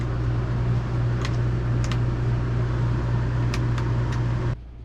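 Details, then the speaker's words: Dometic Brisk 2 rooftop RV air conditioner just restarted after installing an RV Airflow Systems ducting upgrade: steady low hum with strong rush of air, no rattles until it cuts off; quieter than before though not super quiet, running normally. "It is quieter, I will say. Not like, you know, super quiet, but it definitely is quieter."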